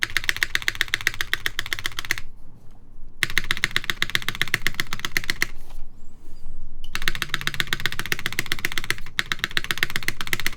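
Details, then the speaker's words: Kitsune TKL keyboard prototype, o-ring mount: fast typing with loose rattly clack, most noticeable on the spacebar; pillars too short so the plate assembly isn't compressed enough and rattles in place. "That sounds like a plate rattling in place. So it likely has to do with this not being sandwiched enough."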